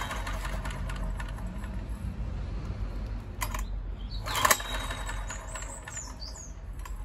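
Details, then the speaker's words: Honda EX1000 suitcase generator, bought as not working, running weakly with sharp popping cracks over a low rumble after choke turned off; owner suspects backfiring through the carburettor. Backfiring and popping. "it's making weird popping noises give it a half choke see if that makes any odds"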